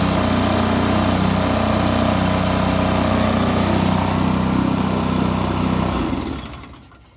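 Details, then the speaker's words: 2005 Polaris Ranger XP 700 EFI twin after battery disconnect, no codes: fast steady idle then shutoff and wind-down; high idle, cause unconfirmed, later found needing TBAP sensor and throttle body cleaning. "yeah, but it still seems like it's idling high, unless that's the way it's supposed to."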